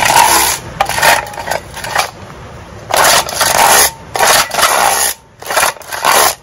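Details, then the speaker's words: Vintage outboard rewind starter: each rope pull gives a harsh half-second raspy scrape. Suspected dirt and grime, possibly over-greasing, on the recoil spring; it needs cleaning and lubrication. "that noise before needs cleaning the the spring in there collects dirt and grime"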